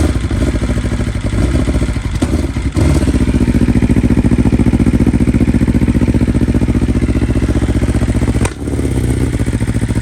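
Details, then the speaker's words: 2020 BMW S1000RR (K67) true cold start on the original 2020 stock software, flashed back to stock: high cold idle with an uneven, lumpy stumble. One ignition coil has failed, causing a misfire, stalls and restarts. "so obviously you can hear that one of the coils just shot and um i had to you know restart it a couple times"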